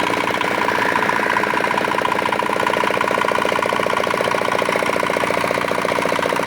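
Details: Old, modified Chinese R180 single-cylinder diesel used for wood splitting, after repair of a bearing knock/seizing complaint (crankshaft already replaced elsewhere): even thumping at steady idle, about two to three beats a second, no knocks or misses; healthy.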